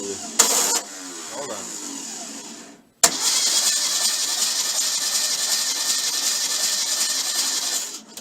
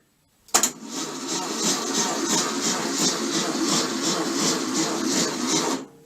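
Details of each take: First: VW bus engine before its first start, with a fixed bad ground and 12.4 V at the starter, cranking briskly and evenly for several seconds with no dragging. It has spark, oil pressure and very high compression; the starter is cranking normally. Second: VW bus engine with very high compression, a 12-volt battery on a 6-volt starter, plugs out. It turns over sluggishly at about three beats a second; the owner suspects the starter bushing. Slow cranking.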